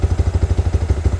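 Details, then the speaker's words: Motorcycle single with a Juken 5 ECU, idle restarted after the base map value was set back to 2.64; even, regular low thumps at about eleven per second, steady with no stumbling or misses; idle back to normal. "Mesinnya kembali normal ya."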